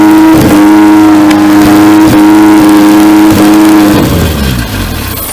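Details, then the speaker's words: 4G64 2.4 swapped into a 2003 Lancer OZ Rally, first start with throttle held open, fuel pressure regulator solenoid not wired and no coolant: fires and holds a clean, steady high rev then drops off; runs. "so obviously I need my fuel pressure regulator to keep it running but other than that she runs"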